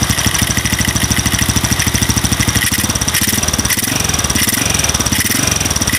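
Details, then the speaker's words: Modified single-cylinder motorcycle with RVN 53mm cylinder block, racing camshaft and rocker arms: fine light ticking over lumpy loping idle persisting after tightening valve clearance, not cam chain; valve-train ticking at idle, cause not pinned down. "pun dia masih ada suara kayak trik trik trik trik trik trikk trik kayak suara klep setelan klep tapi ya enggak separah kalau setelan klep kendor"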